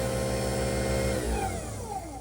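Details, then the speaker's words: Newly installed replacement garbage disposal, first test run: steady strong motor hum, pitch falling smoothly as it spins down; running normally. "you can hear it and see it running."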